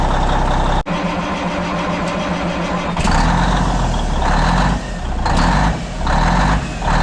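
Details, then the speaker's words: 1994 International 9600 cabover, N14 Cummins, 561,000 miles, sold as non-running, on fresh batteries with no dipstick. Catches and runs rough, dipping and surging as it keeps shutting off with the oil and water light blinking. "all righty it'll start up and run but it keeps shutting off um the oil and water light is blinking"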